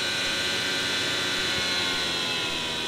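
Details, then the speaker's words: Webasto Dual Top diesel heater run without its ECU, flamed out after the fuel pump was stopped; the blower runs on while it cools. Steady high fan whoosh with no combustion, a normal purge. "like 20% be fine just to keep air going through it and cooling down."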